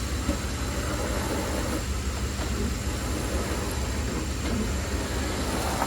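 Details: Ford F-150 just after an AC compressor replacement, with the belt reinstalled, no refrigerant, and the clutch pigtail unplugged so the clutch is not engaged. Steady, even engine hum with no knocks, squeals or belt chirp. Runs smooth and healthy.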